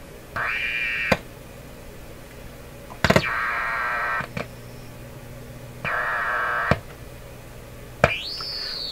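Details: Canadian Admiral J104X/J105X console tube amplifier: repeated bursts of loud steady high howl, some rising in pitch, starting and stopping every second or two; hum and oscillation, cause unknown.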